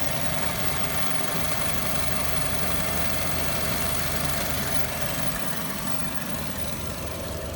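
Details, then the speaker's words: 2014 Chevy Cruze at a Copart yard, idling before reaching operating temperature: uneven, lumpy idle with irregular shake and wavering hum; a vacuum leak at the PCV valve makes it run horribly and shake badly. "The engine just runs horribly because of that vacuum leak. That's why it shakes so bad."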